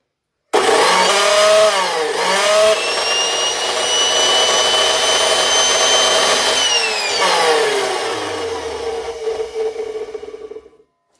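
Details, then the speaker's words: Craftsman 207.25602 circular saw after several pumps of grease: spins up to a loud howling whine with a rough, uneven rasp through run and coast-down, not improved; the saw shows several drops. "not really oh well at any rate it's uh it's definitely something i can tinker with in the future"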